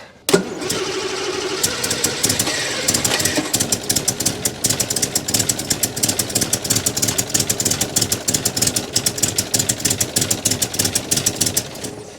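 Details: 1962 Rover P4 with good spark: after firing, the engine stumbles with uneven popping about three a second instead of a smooth beat. The owner wondered whether the timing had jumped; the misfire came from a blocked intake.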